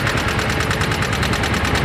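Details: Yamaha Mio M3 scooter idling, rough and lacking power: quick even tapping on top of the idle keeping time with the engine; mechanic first suspected the cam chain, but it is loose valve clearance.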